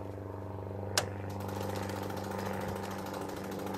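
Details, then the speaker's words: 1917 Cadillac at start-up, cold, fuel pressure pumped to about 1.6 psi: key pressed, one switch click, then a steady low electric hum as the starter-generator motor spins before the starter is engaged; normal. "When I press this thing down, you'll hear the electric motor turning, and then I'm going to go ahead and engage the"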